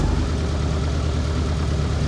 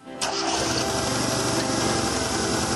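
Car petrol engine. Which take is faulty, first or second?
second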